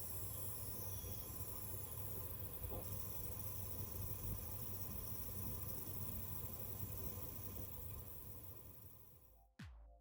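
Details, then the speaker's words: Passive fanless Gainward 8600 GT graphics card under several 3DMark runs gives a thin steady singing coil whine above a heavy low rumble. "Here you can hear the distinctive singing noise from the graphics card during several 3D Mark runs."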